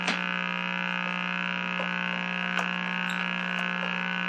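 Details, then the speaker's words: Meck XB-702 television under restoration: steady low fixed-pitch buzz that does not respond to the volume control while a picture is received; constant audio buzz, suspected basic sound-circuit fault. "i'll be that sound has got to be something real basic i mean the volume it doesn't respond to the volume control it's just a persistent wow"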